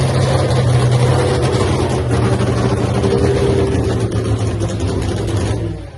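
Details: Freaky Tiki Hemi Cuda funny car, first fire-up after a three-year build, run without nitro after earlier magneto ignition trouble: loud, lumpy but steady idle with a deep even throb, then shut down; running fine.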